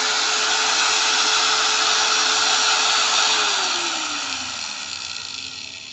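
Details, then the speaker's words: New Modern M-2300B 100mm angle grinder, 540 W, 220 V, up to 11,000 rpm, running free with no load; smooth steady high whine, then even wind-down after switch-off; healthy new motor. "Suaranya suara mesin baru guys, jadi masih mulus ya."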